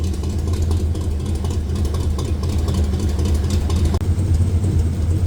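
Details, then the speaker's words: Stock Chevy 305 small-block V8 in A-Team van, warm idle after fitting 1.6-ratio rockers on exhaust valves only (stock 1.5): deep, even burble with a slight blip, no tapping or misses; sounds no different than before; normal idle. "After it's warmed up, that's what it sounds like. So, it doesn't sound any different than the 1.5. So, basically a waste of time."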